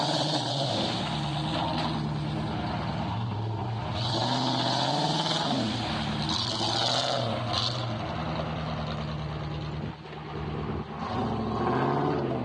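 Uneven V8 idle with a loping, stumbling beat and irregular drops in level over vehicle noise; running on a misfire.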